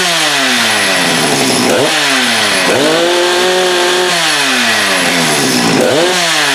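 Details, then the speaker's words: Husqvarna 394 with HyWay 58 mm big-bore cylinder, cold day, original OEM carb, hard to start: at wide open it climbs, then repeatedly sags and burbles, capped near 10,900 rpm no-load instead of about 12,500; rich mixture limiting no-load rpm. "So what's happening here is that saw will get to 10.9 or 10,920 RPMs, and that's when the rev limiter of that carb kicks in, which in my most humble opinion is just way too slow."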